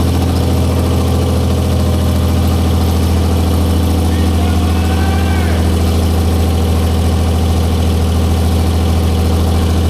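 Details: 1944 Cleveland 3-268A three-cylinder two-stroke diesel, revived, first run after fuel-delivery fix, no coolant: deep steady low thrum, even beat, no misses; all cylinders firing, clean normal idle.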